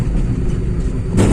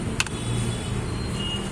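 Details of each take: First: Volkswagen Polo 1.2 MPI after repair of cylinder 2 misfire: smooth steady low rumble with a clean rise, no stumbles or jerks; pickup normal on road trial. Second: Volkswagen Polo 1.2 MPI with low pickup and jerking: low engine rumble stumbling with irregular dips as cylinder 2 misfires; ignition coil or coil wire suspected, spark plugs worn.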